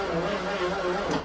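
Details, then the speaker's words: Rolls-Royce Mulliner Park Ward drophead coupe, off the road 19 years, cranked with no fuel to test for a stuck engine. A short, even starter whir turns it over without binding; it won't start, but the engine is not seized. "it's obviously not going to start because there's no gas or anything in there but that engine is not stuck that is an excellent sign"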